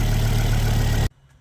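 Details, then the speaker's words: Ford Focus ST225 hot idle after road test following oil filter housing replacement (failed breather seal): smooth even low hum about a second before switch-off; engine a little hot, no leaks found; running cleanly. "all right all very tested as you can probably hear it's a little bit hot"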